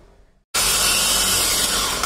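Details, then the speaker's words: Hyundai Xcent starter motor: starter whirs up to a high, free-spinning whine with no engagement and no cranking; defective bendix slipping and missing the flywheel, no-start, bendix to be replaced. "तो दोस्तों जो इसकी slab बैंडेक्स है या slab गरा रही है, ये स्लिप हो चुकी है। तो ये स्लैप नहीं लेगी, स्टार्टिंग नहीं होगी।"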